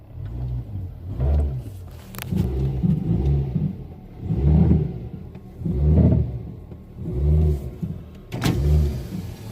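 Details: 2006 Mazda3 2.0 L, in Drive with foot on brake and throttle blipped: repeated engine revs with dull clunk as load comes on, passenger side, also on right turns; broken engine mount, fixed by replacement.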